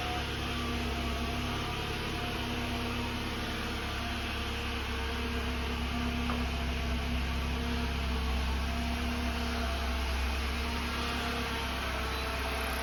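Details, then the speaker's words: 2013 Jeep Compass with bad transmission; steady droning run with a faint constant whine coming from the transmission, not the engine, the complaint it came in for. "The whining's coming over here from the trans. That's why the vehicle came in."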